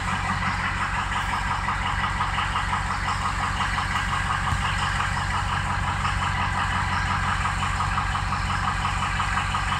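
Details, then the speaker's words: Ford Excursion diesel at idle: lumpy, uneven beat about three pulses a second; cylinders five, six, seven and slightly three dropping off, so weak injectors, full set advised. "look at five dropping off six dropping off number seven number three is dropped off a little bit"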